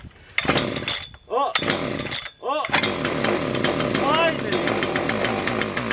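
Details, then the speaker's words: Husqvarna 3120xp chainsaw, took about 40 minutes to start and flooded; a couple of rasping pull-starts, then it catches, sputtering and uneven, settling into a rough, rattly run with smoke; hard starting and sputtering, flooding suspected. "oh my gosh it definitely got flooded like crazy okay let's start it again now"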